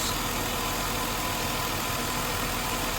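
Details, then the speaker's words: 2000 Mercury Sable at idle, in the shop for an alternator not charging: steady idle under an even airy hiss that never changes; the vacuum leak is found at a busted rubber hose behind the harness at the rear valve cover area, needing replacement. "So the vacuum leak has been found. Just like how this one's all busted up."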